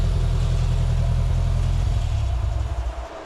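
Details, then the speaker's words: Volkswagen ABA engine in a buggy after the rebuilt cylinder head was reinstalled and further tuning done. Warm enough for the fans to run; strong steady low rumble that eases back smoothly to a settled idle, running healthy. "Got warm enough for them fans to be blowing. So, yeah. I I think uh we've solved a a lot of problems with this. Well, it sure sounds better."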